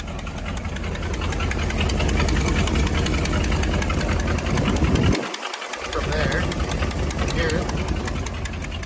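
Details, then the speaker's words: 1977 International hay-hauler truck just fired up, idling with a sharp puffing tick about four times a second from a bad exhaust leak, worst on the other side; head gasket also suspected. "fired right up instantly heard the terrible exhaust leak"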